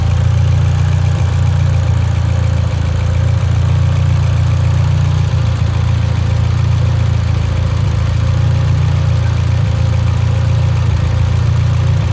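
A deep, heavy idle with an uneven beat and an occasional stumble in the rhythm points to a misfire at idle. Cause suspected, not confirmed.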